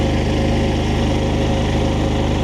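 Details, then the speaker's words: Harbor Freight Predator 11,500 W inverter generator on propane, microwave running, 3.4 kW load, under half capacity: smooth even drone, engine kicks up slightly, steady low pulse, no hunting; normal running under load. "We're at 3.4 kilowatts now. So the motor did kick up a little bit. We're not even at halfway."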